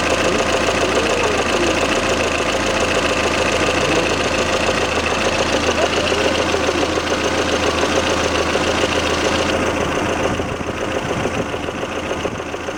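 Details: Lada Kalina 11183 1.6 8-valve, about 70,000 km (odometer suspect), knock on hot engine after switching to Shell 10W-40 and flush: warm idle with steady light tapping about three per second over even hum; camshaft axial end play knock.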